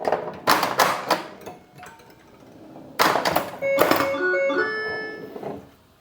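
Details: Bally Paragon pinball after logic-probe diagnosis and solder repair of AS-2518-50 sound board; solenoid thunks and kicker hits then clear electronic chimes and tones; sound board producing game sounds, though owner thinks it sounds slightly odd.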